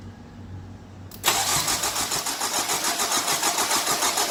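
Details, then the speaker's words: 2003 Nissan 2.5 replacement engine, coils unplugged to prime oil pressure, jump pack attached: steady, unbroken cranking about three and a half turns per second with no firing; normal cranking without ignition. "so what I want to do is disable the start by plugging the coils so we can get some pressure up oil pressure"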